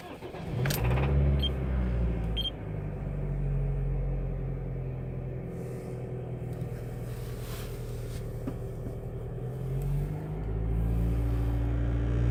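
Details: Toyota 2ZZ-GE engine on start-up settles into a low rumble with a dull, deep knock about four times a second from a spun crankshaft bearing, louder on throttle changes; unlike the higher, sharper VVTi clutch knock.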